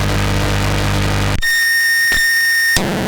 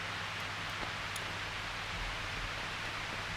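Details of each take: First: Guitar pedal power test with a cheap unregulated adapter not meant for pedals, around 600 mA load: loud steady hiss with low hum, then a piercing high whine; power supply noise inherent to the adapter, not a fault. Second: Eventide PowerMAX isolated guitar-pedal power supply under rising load up to about 616 mA: faint steady hiss that stays the same, noise level still about -22.8 dB; supply stays quiet and clean.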